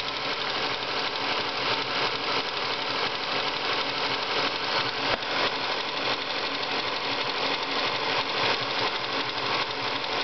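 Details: Ford Focus at idle: fast, steady light ticking roughly three per second; owner suspects water pump or worn bearing, source unconfirmed.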